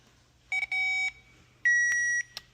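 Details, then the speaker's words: 2006 Kawasaki motorcycle, ignition wiring damaged by hotwiring theft attempt, during rewire: two sharp high tester beeps about a second apart, showing two wires with permanent live feed with ignition on. "we've got a permanent there now. And we've got a permanent there as well. So, we've got two permanents."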